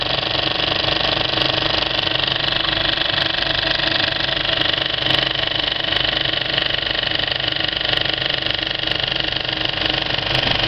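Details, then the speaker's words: Well-threaded Kinoton FP30D cinema projector with Speco LP270 platter paying out film at the end of a screening: even whirring with a fast, regular light clatter from the film transport and no snags; normal running. "this is what a really well threaded up projector sounds like when it's running"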